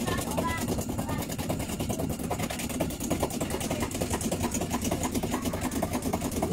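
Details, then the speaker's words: Aged LG 8.5 kg top-loading washer during spin: harsh rapid rhythmic knocking and rough grinding like a rice mill, caused by loose inner stainless tub from a corroded, broken spider arm. "sumber permasalahan dari mesin cuci uploading LG yang mengalami berisiknya saat Spin seperti ini sangat bisik sekali seperti ini suaranya"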